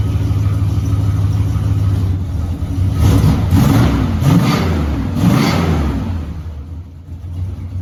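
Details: 1970 Dodge Charger, 383 big block V8, stock exhaust before Flowmaster install: deep even idle burble swells through three quick throttle blips and settles back smoothly; healthy engine.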